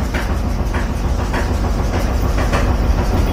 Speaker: This is the sound of the worn out drum roller.